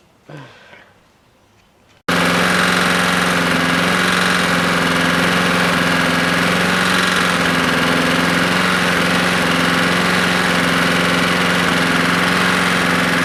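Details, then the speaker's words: Husqvarna lawnmower after a JB Weld repair and a spark plug swap: starts, then runs loud with a rough, slappy rattle underneath. Abnormal engine noise; owner suspects a bad connecting rod. "what i'm thinking is it's got a bad rod there's a lot of slap in there"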